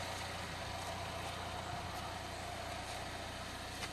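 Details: 2011 Chevrolet Equinox 2.4 Ecotec after new timing set and cam phasers, about 450–500 miles later, no check engine light: smooth even idle with steady low drone, no knocks or rattles; normal idle.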